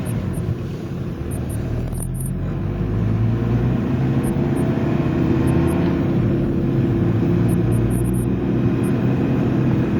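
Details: Front-wheel-drive diesel car driving at speed, recorded inside near the floorboards: deep steady growl like tire noise under road noise from a bad wheel bearing; silent at low speed, louder turning left, fading when the steering shifts load.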